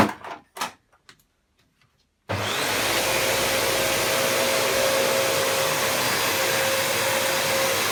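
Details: Panasonic MC-UG304 2000 W upright vacuum cleaner after disassembly and cleaning out the clog: after a few knocks it starts into a steady, even, high rushing roar with a clean motor tone and strong airflow, running normally.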